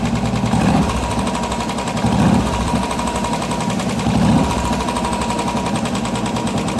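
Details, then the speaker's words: Royal Enfield BS6 single-cylinder motorcycle idling before an oil change; rapid, loud top-end tapping, hydraulic tappet noise caused by low oil, which an oil change is said to cure. "ഇത് oil ആയിട്ട് base ചെയ്തിട്ടാണ് tappet hydraulic work ചെയ്യുന്നതെന്നും അത് oil മാറ്റാൻ വഴി കഴിഞ്ഞാൽ oil കുറഞ്ഞു കഴിഞ്ഞാണ് ടാപ്പറ്റ് നോയ്സ് ഉണ്ടാവുക"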